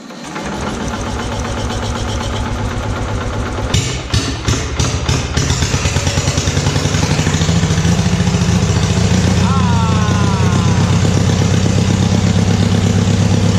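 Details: Free RV generator rated 5 kW, after rebuild and adding four outlets, first start with a light bulb plugged in: a few quick cranking pulses, then the single-cylinder catches into a steady even beat; running healthy, outlets live.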